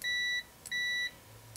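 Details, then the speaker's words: AstroAI low-cost TRMS multimeter (M2KOR/M4KOR), which defaults to continuity mode: clean high steady beeps, each under half a second, as the probes touch; short response. Continuity beep, circuit closed. "by the way it defaults to continuity which is probably nice because you probably do that more than you die check and uh same kind of thing there's pretty short"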